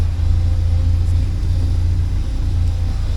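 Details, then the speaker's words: 1979 Porsche 924 running after fuel tank deep clean, warming up: steady even low rumble with no misses or stumbles, starting to burn clean; normal idle. "There, that's starting to burn pretty clean now. Okay, I'll let it run for a while and then let it warm up"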